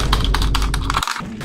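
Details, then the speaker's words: Harsh clacky keyboard typing: sharp keystrokes with hollow, rattly bottom-out thuds. "your keyboard probably sounds like dog shit."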